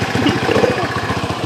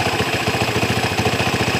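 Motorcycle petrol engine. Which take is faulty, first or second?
first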